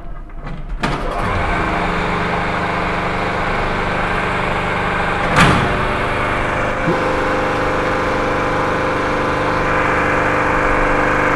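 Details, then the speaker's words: Three-phase induction motor on a manual star-delta starter, 400 V line supply via energy meter, MCB and fuses: hum builds at switch-on in star, clicks over to delta around seven seconds, then runs steady; normal star-delta start. "सबसे पहले starter को हम star में करते हैं, फिर उसके बाद डेल्टा में करते हैं। स्टार नीचे होता है और ऊपर डेल्टा होता है।"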